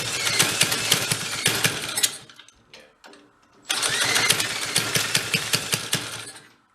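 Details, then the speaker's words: 1965 Corvair Monza SS go-kart (Rupp-built), stored for years and newly revived, with its carburetor mixture unadjusted and running rich: a rough, uneven popping run with sharp chuffs and a dip. Exhaust is blowing out the cylinder side, so the head gasket is bad. "It is blowing out the side of that cylinder too. It's the head gasket's no good."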